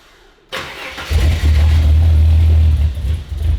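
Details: Turbo Ford Fairlane first start on a new Haltech ECU: engine catches with a bark then deep uneven chug, three to four per second, surging as it barely holds idle; running very rich.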